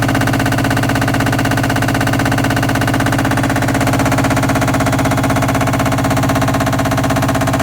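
A loud, even pulsing roar at about three beats a second holds steady through the spin; the cause isn't evident from this alone.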